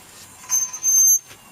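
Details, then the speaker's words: Rear wheel of a Honda Civic 2.2 CTDI, raised on a jack and turned by hand: short high-pitched squeaks come and go, suggesting rubbing at the hub or brake. Bearings being checked, pads have about 1 cm left, disc checked for warping; cause unconfirmed. "i'm kind of horrible something is squeaking like man on this side and again the brakes there's a good one centimeter on the brake pads"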